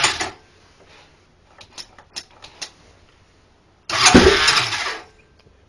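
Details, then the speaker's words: 2007 Honda 400EX quad on a cold night, choke pulled up. It has compression, but a brief starter whirr leads to rough cranking that never catches: cranks but won't start. "to start and it's got compression but I can't get it to start so it's for sale"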